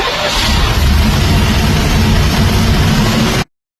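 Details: 3rd-gen Camaro with a FAST EFI 2.0 standalone system, after fixing a no-start where the factory ECM dropped the fuel pump relay on crank: a deep, steady even rumble with no misses, then a clean cutoff. Now starts and runs reliably.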